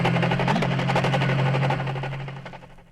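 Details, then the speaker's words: 1964 record demonstration of a gearbox destroying itself: a harsh grinding hammer about four times a second over a low drone, then fading out as it stops for good with a broken main shaft. "This is a recording of the actual death of a gearbox. When it stopped, it stopped for good with a broken main shaft."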